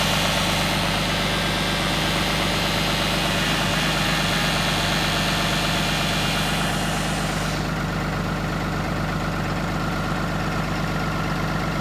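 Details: Cummins diesel idling on a cold start: steady clatter with a faint constant whine riding over it.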